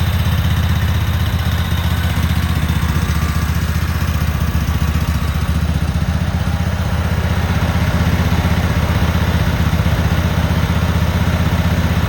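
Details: Cub Cadet Super 2284 lawn tractor with electrical issues, very dirty, missing bolts, rear cover off. On a test fire the small twin gives a steady, even low thrum at fast idle with no misses or knocks, running smoothly.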